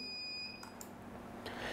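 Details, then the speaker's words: CP Plus DVR: thin, high electronic alarm beep in a quiet room because the hard disk is not detected (shows 0 MB in storage settings); no recording possible. "Gas तो मेरी hard disk show नहीं हो रही इस वजह से big बज रही है तो इसे बंद कैसे कर सकते हैं"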